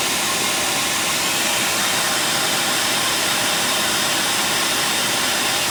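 Steady sharp hiss and rapid puffing riding over the running engine, mostly high-pitched with little low rumble; sounds like an exhaust leak.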